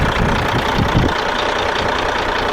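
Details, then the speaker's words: Cat diesel in a short-hood truck at auction idling with a steady, even low clatter under wind noise and no misses or knocks; 80 psi oil pressure, a solid, healthy engine. "I love these cats sound of them"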